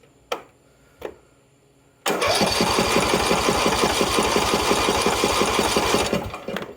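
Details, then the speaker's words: Husqvarna LTH 18538 mower engine: two clicks, then four seconds of even cranking at about three turns a second, no crunchy noises despite a snapped-off block bolt; decompression relief working, healthy turnover. "The fucking block that snapped off, but I don't hear any crunchy noises yet. And decompression relief is working."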